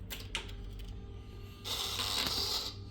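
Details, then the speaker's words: 2018 Kawasaki ZX10-R being rebuilt after being totaled, won't turn over: scattered clicks then a thin high whine for about a second on the start attempt, engine never catches; whine source somewhere up front, not yet traced. "so that sounds bad obviously but you can hear that whining noise not 100% sure where it's coming from yet but somewhere up here there's that whining noise"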